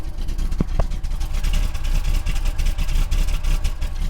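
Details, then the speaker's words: Monaco with Thermo-Quad carburetor refitted; deep, lumpy, very low idle wandering as if about to die; rough idle, kickdown and mixture screw adjustment suspected, not confirmed. "Oh, it's running. Okay. It's really low idle, holy cow. Oh, it sounds so bad. It sounds like it's gonna die."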